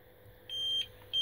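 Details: APC Smart-UPS 750VA giving two sharp, steady high-pitched beeps while unplugged and on battery at about 55-65% load during calibration; its old, heat-worn batteries go flat in about three minutes, to be replaced with Yuasa NP7-12.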